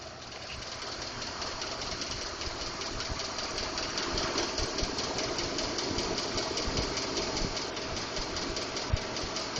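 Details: 2012 Ford F-150 5.0L at idle: light, somewhat uneven ticking or knocking at roughly two to three per second, valvetrain-type; Ford diagnosed it as normal but is working on a solution.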